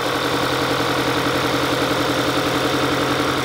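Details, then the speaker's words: 2022 Kia Sorento, check engine light with misfire codes, running badly: uneven, stumbling idle with cylinder two already misfiring and one ignition coil unplugged for testing. "of course the ignition coil is not going to be plugged in and so it's going to be misfiring but you know it's already misfiring on number two"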